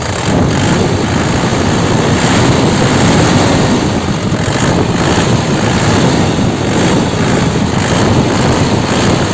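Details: 2005 non-turbo LS diesel (Isuzu), manual, single owner, at idle: loud but uniform, steady clatter with no misses, knocking or blow-by ("ngobos"); crisp sound, dry underside with no oil seepage; healthy engine.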